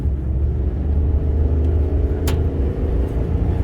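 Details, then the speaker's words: 2005 Dodge Ram 1500 crew cab 4.7 V8, which wouldn't rev over 2000 rpm for 7 years and 70,000 miles, on road test after repair: deep steady rumble pulling evenly under load, no stumble or cut-out; accelerates normally now. "She accelerates normally now."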